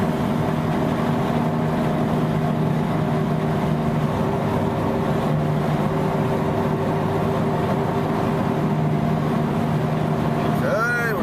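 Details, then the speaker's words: Vehicle driving, turning right so weight loads the left side; steady low whirring hum plus a vibration felt through the accelerator that increases on right turns and fades on left turns. Worn left-side wheel bearing whir. "gonna turn right again I'll open that worrying noise is coming through and I can actually even feel the uh my foot is on the accelerator and I can feel a vibration increasing as I turn right putting the weight of the vehicle as we discussed on the left side of the vehicle on that bad bearing"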